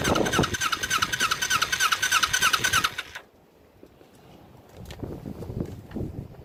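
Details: Ninja motorcycle being restored, after a fuel splitter install. Uneven, lumpy firing for three seconds, then it stumbles and dies; rough running. Carburetors suspected, flooding and dripping fuel from the inner carburetor.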